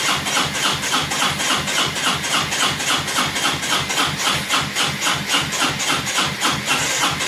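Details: 2002 Honda Reflex scooter cranked by jumping the starter solenoid wires after interlocks gave nothing: even, fast chuffing about three and a half beats a second, never fires or catches; fuel, spark or both missing, not yet determined.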